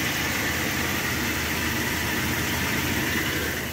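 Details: Brand-new engine at idle: a steady whirring hiss that barely changes with revs and is still faintly heard at shutdown; owner suspects it is just the cooling fan, source unconfirmed.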